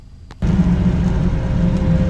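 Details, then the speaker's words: Volvo 240 wagon with 400,000 miles, after a home fix of the overdrive solenoid that had stopped engaging: steady low drone at relaxed revs under light load, cruising normally in overdrive. "er folks cruise it in overdrive lovin it lovin life"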